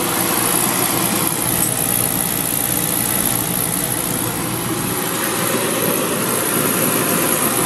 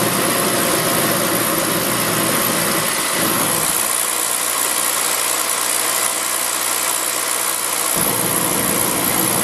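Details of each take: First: Beckett oil burner on a Honeywell R7284U primary control with a delayed oil valve. It pre-purges, sparks, and the valve opens and pressurizes. Then a steady, even roar with an airy rush and no puffing or stutter. Normal ignition and firing. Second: Beckett oil burner, pump about 140 psi. The supply is cut back to simulate a restricted oil line, and vacuum rises much higher. The steady roar drops out for seconds, then relights, the flame cycling on and off. Restricted supply line.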